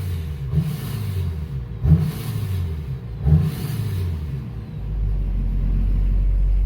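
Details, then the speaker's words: Cadillac Escalade with newly swapped Duramax diesel, first running, no security issue: three quick clean revs climbing and dropping back smoothly; throttle pedal works, normal throttle response. "But it stays running. There's no security, and the throttle pedal actually works. You can kind of hear it rev up."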